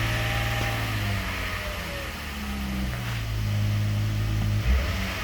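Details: Chrysler 3.6 Pentastar V6, cold start with belt removed: a hollow, irregular knocking under the engine note as revs rise and fall; piston slap.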